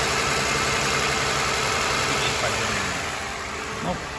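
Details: Toyota Highlander 2GR-FE V6, 183,000 km, code P0300/P0301, coils, plugs and injectors already swapped without change, knock when cold; loud idle with a regular stumble at three to four beats a second, cylinder 1 misfire before engine overhaul.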